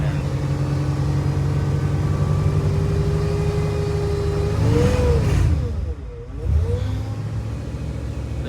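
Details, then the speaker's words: 1959 Lincoln on a test drive: engine revs climb and sag while pulling away without matching road speed, and the automatic transmission slips and shudders; low power steering fluid is also suspected, and the drive was cut short. "something not right with this transmission at all sounds like we're low on power steering fluid as well yeah I'm not even going to drive this thing any further"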